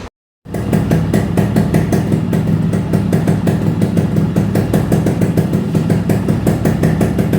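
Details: Restored Yamaha RX two-stroke, full engine rebuild and repaint on customer's bike: crisp even popping at steady idle, regular firing, no knocks or rattles; runs clean and healthy.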